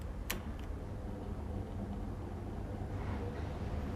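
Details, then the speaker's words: Same electric fan now running on mains (TNB) power instead of the solar inverter: soft, steady hum with the earlier electrical buzzing gone; normal fan running for comparison. "Dah tak ada bunyi buzzing tadi. Okey, tuan-tuan boleh dengar perbezaan antara power daripada inverter dengan power daripada TMB."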